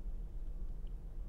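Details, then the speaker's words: 2016 Ford Mustang V6, body panel damage, flat rear tire, at Copart: low, soft, even idle rumble with no knocks or ticks; engine idles smoothly and steadily. "oh my gosh that engine is nice of course it is it's a 2016"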